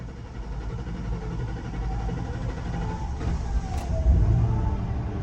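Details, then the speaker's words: 2003 Mercury Grand Marquis 4.6L V8, runs rough and stalls, fuel pressure only 14 psi: starter cranks for several seconds before the engine catches and runs a bit rough; fuel pump leaking inside the tank. Long crank due to fuel pressure loss. "As you guys can hear, we had a really long crank. The engine is running right now."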